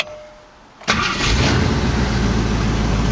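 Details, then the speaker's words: 1968 AMC AMX 401 V8 after replacing #2 lifter worn to oil hole: catches instantly and settles into even idle, no clatter, all eight cylinders; normal start, timing still off and carburetor bad. "fires right up so as far as that bad lifter is concerned [Applause] that's a fix of course the timing's still off and that carburetor is bad but at least it's running and uh not clattering and running on all eight cylinders"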